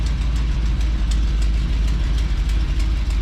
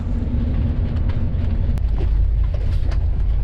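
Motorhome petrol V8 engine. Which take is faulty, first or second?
first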